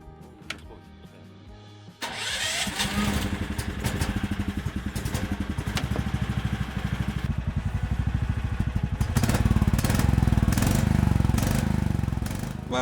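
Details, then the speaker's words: New budget Azimuth snowmobile: starter catches after about two seconds, then a steady, even lawnmower-like single-cylinder putter at idle; healthy. "Well, frankly speaking, it sounds like a lawnmower."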